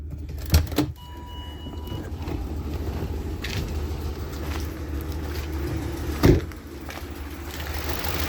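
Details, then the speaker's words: 2007 Ford Expedition 5.4 Triton V8 after an alternator replacement, no battery light: even, steady idle hum, the earlier grinding is gone; a slight ticking remains, which the owner suspects is a loosening rear spark plug. "And the grinding gear sound is now gone."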